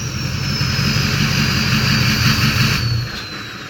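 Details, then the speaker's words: 2006 Ford F350 6.0 diesel after P2262 fix (broken MAP sensor nipple on intake); strong roar under load with clean high turbo whistle rising and falling smoothly, no surging or hissing: healthy turbo spool. "that is a thing of beauty just can't kill big black although some people think I'm trying to but I'm really not"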